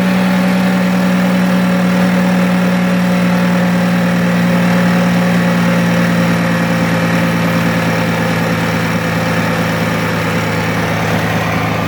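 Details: 2006 Toyota Avalon 3.5L V6, run after reassembly to check the serpentine belt system rattle (it had overheated; water pump was first suspected). Smooth, even idle with a steady low drone and no belt rattle or chirp: normal idle.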